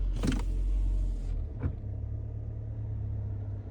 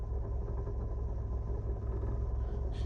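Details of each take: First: 2018 Nissan Altima SR after replacing the passenger-side engine mount, idling in reverse: steady low idle with no rattle or buzz from under the glovebox area; normal idle. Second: 2018 Nissan Altima SR in reverse: heavy low rumble with uneven buzzing rattle from passenger side under the glovebox, also at idle and driving, fading in drive; cracked passenger-side engine mount.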